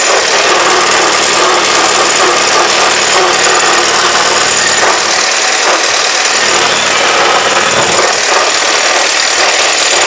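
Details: 1948 Super A at steady idle: constant high-pitched even whine with no low rumble; owner asks whether normal or a bad bearing.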